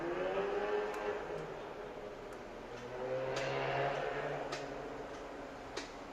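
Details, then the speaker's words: 2000 Jaguar XJR won't start: only faint scattered single clicks with no cranking, solenoid pulls in but the starter motor never turns; failed starter motor, fixed by dealing with the starter. "Видимо, втягивающий срабатывает, а стартер не хочет."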